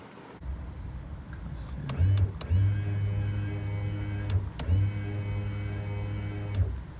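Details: 2000 Jeep Cherokee XJ rear window motor tested with door panel off: steady low electric hum in clean few-second runs, starting and stopping crisply; motor works normally, but window only lowers when mostly closed, regulator needs replacing.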